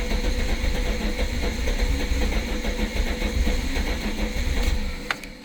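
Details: VW Lupo 16v 75bhp, car low on fuel and battery dying: the starter churns steadily for about five seconds without catching, then drops off; a hard start, likely low fuel and a weak battery but not confirmed.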